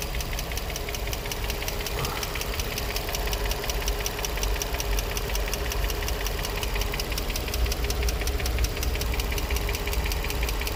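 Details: Infiniti G35 at 109k miles, no check engine light, new cats: a steady light tick of roughly two per second from one bank over a smooth idle with a faint whine; lifters or spark plugs suspected, unconfirmed.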